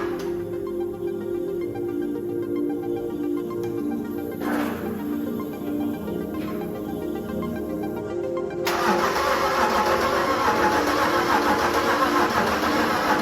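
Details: Land Rover Defender 90 swapped from 2.4 TDCI to BMW X5 engine: starter churns about three to four beats a second, never fires; cranks but won't start, main relay checked, owners suspect no fuel reaching it.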